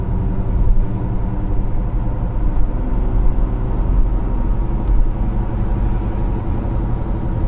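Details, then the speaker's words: 2015 Kia Sorento 2.4, driving and turning; heavy continuous low rumble and drone that follows road speed and changes with steering. Worn front-left wheel bearing; slight roughness felt at the wheel. "front left yeah that's a wheel bearing noise you hear it when we jerk the let's wheel if we can get it to go the other way"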